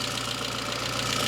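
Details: Citroën Saxo VTS petrol, over 20 years old and 200,000 km, stock with a small stainless silencer, just started; a slight shake at startup, then an even, smooth idle that runs round with no knock or misfire.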